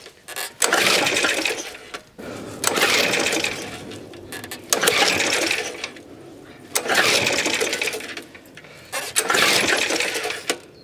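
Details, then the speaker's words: Suffolk Super Punch/Colt lawnmower (75G14-25A) after basic maintenance, cold winter day: five scraping pull-start cranks with no firing; no start, no spark, points gap suspected and rechecked. "So i'll just do one gentle one to get everything moving okay. No sign of life yet."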